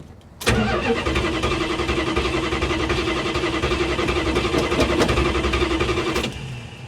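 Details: 1973 Plymouth Scamp flood car with automatic transmission and four-barrel carburetor, first start at the salvage auction: the starter churns at a steady, fairly quick rhythm for about six seconds without catching, a long hard crank on a reluctant engine.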